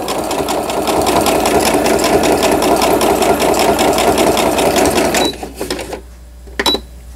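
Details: Riccar Quilt Friend digital sewing machine. Straight stitching during a stitch-length adjustment demo gives a quick, even clatter of about 2.5 stitches a second and stops cleanly; it sews fine.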